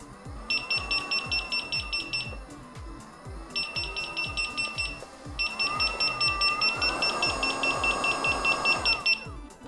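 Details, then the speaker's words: Begode electric unicycle with power alarm set via app to lowest 50 percent capacity: bursts of rapid high-pitched beeps over rising motor whine; alarm trips much sooner while top speed is unchanged. "as you can see the top speed has not changed the alarms go off significantly sooner"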